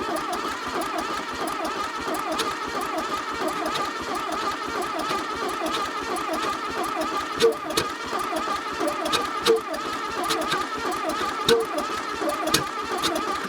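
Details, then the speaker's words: 1982 Plymouth TC3 not run in 32 years, cranking: uneven chuffing and sharp pops as some cylinders catch, never running, sounds like a train; owner suspects intake and exhaust valves hanging open, flames from carburetor; intermittent firing. "it looks and sounds like a train try again"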